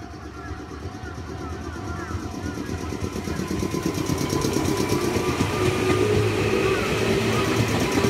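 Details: Meitetsu 6000+6800 series train 6030F+6812F, local service to Higashi-Okazaki, departing Yobitsugi station: rhythmic thump about twice a second, quickening with speed, from many wheel flats.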